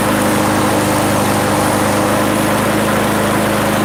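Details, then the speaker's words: Small single-cylinder lawn mower engine started on a livestream with a little fuel left, humming at a steady even speed with no misses or knocks; running normally. "now we're going to start the mower see if we can get it started"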